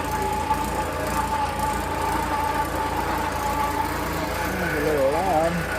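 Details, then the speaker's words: Kawasaki Mule FXT Pro with newly swapped engine, first start: a steady high whine over an even idle, separate from the engine note, from a worn, failing alternator bearing; the engine itself sounds good. "I think that noise is The engine sounds good. It's the alternator. Yeah. That alternator sounds terrible. Probably not going to last."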